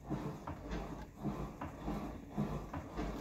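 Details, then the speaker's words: Horizon Evolve 5 elliptical (Johnson Fitness) after greasing and hand-tightening the arm assembly hinges to cure squeaking: soft rhythmic thuds about once a second as the pedals cycle, no squeal or creak, running smooth. "pretty smooth I would say it's working pretty good so that's how you can service your thing and stop it from making that crazy squeak sound"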